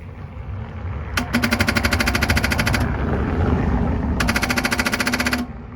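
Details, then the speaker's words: BMW R1100 RT in frosty weather, a couple of degrees: rapid chattering ticks in two bursts, about three per second, with no cranking; the battery measures a healthy 12.4 V; the starter and battery were later replaced. "It's doing tick tick or tick tick tick tick, but it's not cranking yet."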